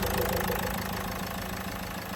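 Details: Renault Duster diesel, first morning start after fixing a long-crank starting problem by replacing a faulty injector washer: even idle with light, regular clatter that stays steady and settles slightly quieter; normal diesel idle.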